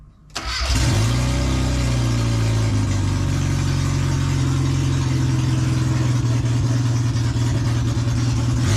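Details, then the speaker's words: Mini, first start during rebuild with no exhaust fitted and the manifold pressure sensor unplugged: brief crank, then it catches and settles into a loud, steady open-pipe idle with no misses. "but it's a good sign that she starts so we can crack on with getting everything back together now"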